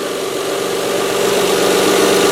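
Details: Mazda 626 after replacing the 19-year, 125,000-mile bad-bearing idler pulley, second pulley and both drive belts: steady, even idle with smooth hum, no squeal, chirp or rattle; accessory drive sounds healthy.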